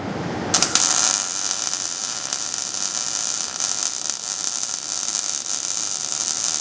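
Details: MIG (GMAW) fillet weld at quarter- to half-inch stick-out: steady, even crackling hiss with no popping or sputter bursts, a clean, stable arc laying a good fillet weld.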